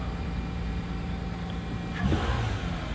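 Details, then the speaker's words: 2004 Toyota Camry 3.0 L V6 after starter replacement: engine catches and runs smoothly with a brief clean rev, no starter grind; starter good, normal running. "right runs good 2004 Toyota Camry with a 3.0 liter engine starter is good"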